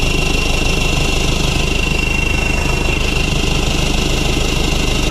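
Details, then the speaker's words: Toyota Hilux diesel drag build, first start after fitting new valve springs, valve stem seals and retainers and a custom cold air intake through the headlight: steady idle with loud rushing intake hiss and faint whistle. "Sounds like it's going to suck the earth in."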